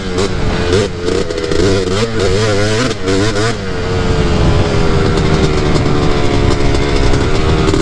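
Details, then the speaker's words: Quad revving with a choppy, uneven, burbling exhaust that sputters as throttle rolls on; running rich. "it's definitely rich oh yeah you hear it keeps sputtering"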